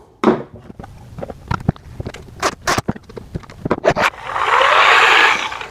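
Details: Bravo Grave Digger ride-on monster truck, test of a new larger, more powerful motor replacing a burnt-out one, before it goes back in the car: handling clicks, then a short, smooth, steady electric whir with no grinding; runs fine.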